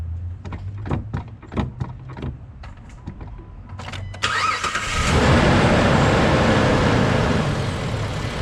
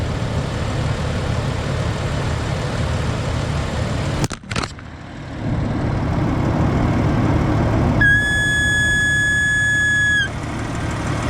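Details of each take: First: Jeep after replacing brake booster check valve and grommet: clicks and crank, engine catches and settles to steady idle with no whistle; old grommet was leaking air, believed fixed, normal idle. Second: Jeep at idle, brake pedal pressed: high thin whistle for about two seconds over steady idle from power brake booster; owner suspects check valve, air leaking at its old grommet.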